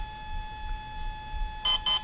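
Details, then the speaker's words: Volcano 30A brushless ESC for a 450 RC helicopter entering setup mode: after a pause, three short evenly spaced high beeps; the beep count marks which programming feature is selected. "three beeps and that four beeps and as a for those are short beeps now that's a long beep long followed by short at the very beginning of the setup mode those beeps denote which feature that you're going to change okay"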